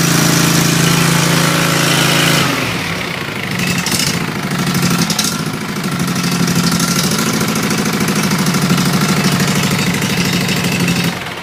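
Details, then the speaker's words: Engine on fresh oil, new filter and new plugs, carb cleaned a few weeks earlier, nearly out of fuel: steady, even firing at about four beats a second with a smooth hum and no knocks or misses. Normal running. "like I said she runs pretty damn good runs smooth"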